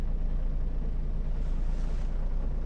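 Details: Mercedes Sprinter diesel idle swells and sags unevenly, worse cold, with a low rumbling knock that goes silent with the clutch pressed; worn dual-mass flywheel, needs replacing.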